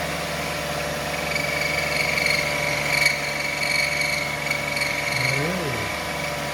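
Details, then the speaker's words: 2005 Lexus ES330, 3.3 L VVT-i V6, cold start idle: high wavering squawk that chirps and bends in pitch, loudest behind the timing cover; belt or timing area suspected. "I's hope it' be just a power steering pump or alternator or something but that noise was most predominant and loudest behind the timing cover here so that's telling me something either the belt or a underneath the timing belt is a problem"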